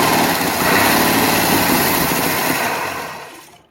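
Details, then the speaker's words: 1961 Studebaker Lark V8 revived after carb cleaning, spark plugs torch-cleaned and timing adjusted on the fly, throttle propped open: uneven, lumpy run with a ragged beat that dies after about three seconds, filling the shop with smoke; timing advance uncertain. "I'd say it ran. And you still fill the shop with smoke."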